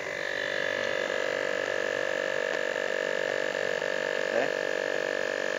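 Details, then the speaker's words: Refrigerator compressor pressure test, outlet closed until the sound turns heavy: steady hum with fixed mid tone and thin higher whine as it strains against the shut outlet; no clear sign of a weak compressor yet. "Kalau sudah hidup kemudian saya tutup kemudian saya masukin ini kompresor ini sampai bunyinya kira-kira berat baru saya tutup."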